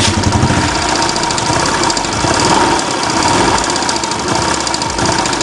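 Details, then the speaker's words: Yamaha Jupiter Z1 motorcycle engine at idle, heard loudest at the tensioner: fast, light, regular knocking from the timing chain slapping at the tensioner; the cam and rocker arms are also to be checked for wear. "memang bunyinya tuh paling jelas disini ketukan antara rantai timing dan ticketing sama Tensioner ini"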